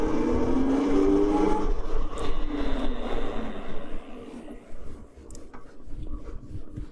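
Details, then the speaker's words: CyberX e-bike passing by after half-belt conversion, one of two chain stages replaced, original sprocket kept: soft low rumble fading away, no chain clatter or whine; much quieter belt drive. "Yeah, it's definitely quieter. That's crazy how just half of a belt conversion, like, cause there's 2 chains and 2 sprockets. It's crazy how that makes such a difference."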